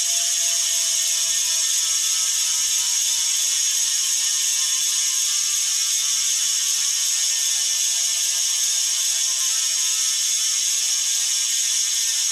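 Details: Bontrager Aeolus Pro 3V wheel with DT Swiss freehub internals on a 2022 Trek Domane SLR7, coasting: fast, even, high-pitched ratcheting buzz, healthy freehub pawl sound.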